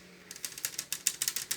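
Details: Consul inverter 7000 BTU air conditioner, newly wall-mounted: sharp dry ratchet-like clicks about six a second from the indoor unit; a panel screw was found loose, rattling clicking noise, cause not confirmed.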